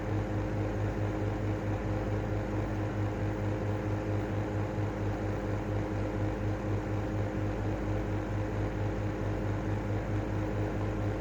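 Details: Airflow-style 2.5 exhaust fan running: a steady high whine over a low hum with an even pulsing beat about twice a second; the fan motor whines, and the cause is unclear.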